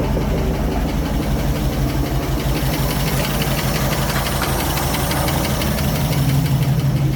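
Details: 1967 Ford F100 truck with FE big-block V8, test fire after carburetor rebuild (leaking accelerator pump fixed, fuel screws adjusted), choke off, cold: steady even low rumble at idle, no misses or knocks; light smoke only from cold condensation; normal idle.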